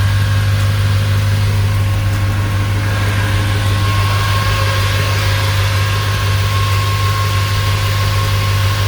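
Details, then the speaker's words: Chevrolet Silverado at idle, not at operating temperature, after electric cooling fan conversion; AC switched on to trigger the fans, steady idle under a constant whooshing fan roar, even and unwavering; electric fans running normally. "So I'll just go ahead and turn the AC on, since I don't want to wait for this to warm up. So click this on here. And we should hear it click on any second now."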